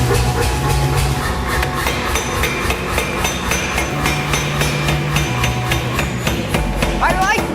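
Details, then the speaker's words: Stanko power hammer being repaired, first run: heavy solid blows about three and a half per second, steady and even under music, beautiful huff and puff; works well, though sow block wobbles. "hopefully hey it works wow that thing just sounds solid it's got a beautiful huff and puff to it"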